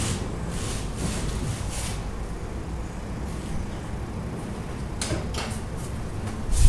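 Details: Peugeot Bipper, engine off, irregular light clicks and dull knocks at the front each time the steering wheel swings across; a knock in the front steering or suspension when turning.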